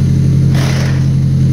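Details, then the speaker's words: Newly acquired car revived with standalone harness after no-start (owner suspects airbag system or a ground): smooth even idle, one clean short blip, settles back with no misses or knocks; normal running. "We filled the garbage cans a few times tonight, but we got four empty dumpster cars, so just happy to hear this thing run again, because I think it was the airbag."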